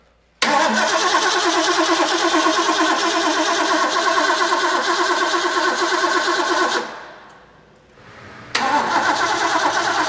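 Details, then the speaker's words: Rebuilt, previously seized Ford 351 Cleveland V8 from a 1972 De Tomaso Pantera, off the road four decades, on its first start attempt: steady cranking with no catch; spark is present, flooding suspected, ignition timing found 180 degrees out. "it's doing exactly what I said initially it's off of 180"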